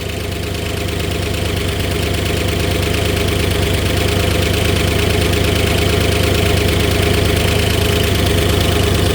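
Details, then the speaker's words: 1964 Oldsmobile 394 V8 just started after sitting, with a small exhaust manifold leak: a light, quick, regular tick over the idle. The owner suspects low oil pressure and thinks it smooths out once pressure builds; unconfirmed, gauge not yet fitted. "it's definitely got a little bit of a tick and that could just be low oil pressure so I got to check that out"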